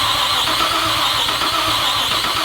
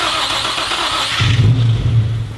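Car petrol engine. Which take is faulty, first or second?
first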